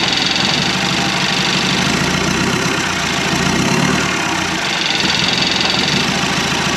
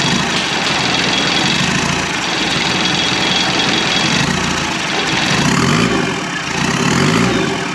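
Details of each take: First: 1991 Land Rover Defender 90, Turner Engineering remanufactured 200TDI diesel, first start: loud harsh clatter at a low, uneven, lumpy idle; owner thinks idle is set a little low, and a little throttle smoothed it out; 50 psi oil pressure. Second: 1991 Land Rover Defender 90 with Turner Engineering remanufactured 200 TDI diesel, first start after fuel bled through: churns on the starter, catches and settles into a steady clattery idle; healthy start.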